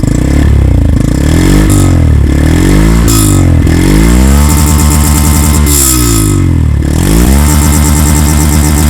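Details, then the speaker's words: Yamaha FZ-X single-cylinder revved gradually and gently: clean bark climbing and falling through several blips, pitch tracking throttle smoothly, no mechanical noise; healthy engine revving. "நான் கொஞ்சம் rev பண்ணி காட்டுறேன். ஐ மீன் கிராஜுவலாக ரொம்ப ஜென்டலாக பண்ணுறேன்."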